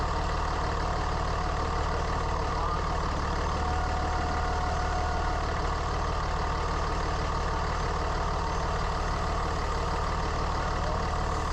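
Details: 3rd-gen Ram Cummins diesel: steady idle clatter with a faint constant howl, present hot or cold days; owner first suspected turbo or fan clutch, stethoscope traced it to a bad alternator bearing.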